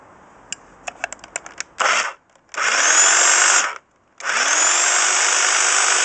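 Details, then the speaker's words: Class 2 double-insulated electric hedge trimmer after repairing its cut flex with a flex connector, tested on a table: a few clicks, then it runs up in steady bursts with an even high buzz and no rattle; it sounds healthy. "And here's the sound of the hedge trimmer."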